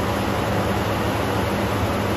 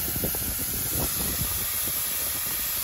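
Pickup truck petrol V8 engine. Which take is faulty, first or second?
second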